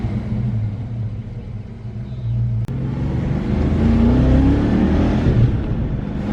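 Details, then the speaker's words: 1993 Ford Mustang Cobra 5.0L V8 road test after fixing the cylinder misfire that caused 2000-3000 rpm hesitation: deep rumble climbs smoothly through first and second gear with no stumble or misfire; normal acceleration. "seems to be running quite well spun through first all the way through second only reason i didn't spin third is i had to let up"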